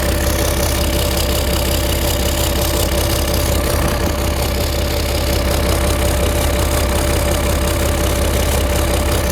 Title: starboard engine exhaust leak between head and turbo